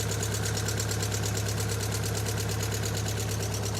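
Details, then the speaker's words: Ford Fiesta XR2i, sat 7-8 years, lead pulled on one cylinder: lumpy idle pulsing about three a second, no change with it out, so that cylinder isn't firing; owner suspects rusty, poorly connecting coil pack. "SO, YOU SEE it's making no difference on idle with that cylinder out."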